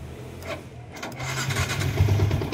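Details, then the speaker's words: Yamaha Sniper 150 with error 46 and 96, battery at 12.6 V, push-start attempt: a few uneven pops, then the engine catches after a second and a half and settles into a steady low putter; starts normally. "So ngayon, i-start natin through push start kung kaya ba. Yan. Alright, so start natin."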